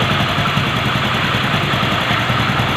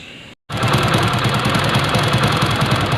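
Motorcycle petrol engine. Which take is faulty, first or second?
second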